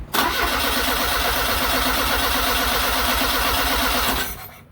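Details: 1979 Fiat Spider 124, owner's no-start: starter cranks steadily about three turns a second, engine never fires; no spark, traced to failed magnetic pickup inside distributor, replaced (ignition control module also bought).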